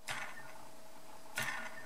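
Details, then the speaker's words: DYS SE2205 2550Kv brushless motor, hand-spun twice: sharp whirring flick fading to faint rattly buzz, shaft has play, compared with good motor; poorly machined shaft or bad bearings suspected, second sample same. "you hear that rattly rattly kind of sound now it could be that the shaft is not machined very well and it's not making good contact with you in a race of the bearings or one of the bearings it could be that the bearings are just bad"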